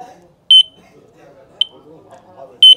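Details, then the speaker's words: Battery-powered carp fishing bite alarm with the line wrapped on it, sounding as the line is pulled: high shrill beeps roughly once a second, steady and clean, working normally. "ఇగో ఇట్లా sound వస్తూ ఉంటుంది, line గుంజుకొని పోతూ ఉంటాయి."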